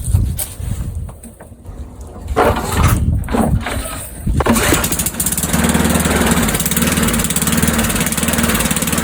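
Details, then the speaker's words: Old Sears Craftsman Eager 1 mower with Tecumseh engine, restart test without priming, throttle on low; a few pulls, then fires and settles into a steady, even low-throttle putter, starting and running healthy. "All right, now will it restart without priming? Let's put it on low. Let's try without priming."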